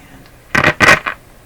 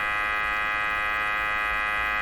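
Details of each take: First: Canadian Westinghouse Model 684 radio with IF bypass, volume at full on a shortwave band: sharp crackling bursts over near silence with no background noise hiss; cause not yet found. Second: Canadian Westinghouse Model 684 radio with a sweep generator feeding the IF bypass: a steady, even buzz with a high edge comes through the speaker, showing the IF path is working.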